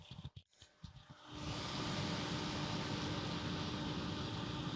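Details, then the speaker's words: Amiga 3000 power supply, just powered on after battery damage repair: a few clicks, then the fan spins up into a steady whirring hum; runs fine but noisily, fan replacement suggested to quiet it. "the fan is running but as you can see it it does make quite a lot of fan noise so Lee uh may want to consider replacing the fan there with a no to very simple thing to do"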